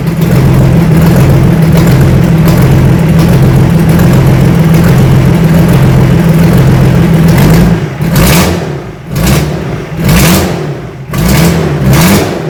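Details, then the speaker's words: BMW M57D30 diesel (184 hp, from E46 330d Touring) swapped into E36 compact, just started: very loud raw clatter at idle with sharp chuffing on throttle blips, from an unblanked exhaust manifold port, missing boost pipes and an inlet manifold not fully bolted down. "Uh, it's quite noisy at the moment cuz there's no blanking plate on the exhaust manifold. Also, there's no boost pipes and the inlet manifold isn't fully bolted down."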